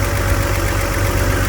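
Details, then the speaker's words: BMW E46 imported from the USA, idling rough and uneven with a stumbling beat as one cylinder drops out; misfire traced by swapping ignition coils and checking spark plugs, traced to a single cylinder. "მოკლედ ერთ ცილინძრზე გვაქვს მერენგოი"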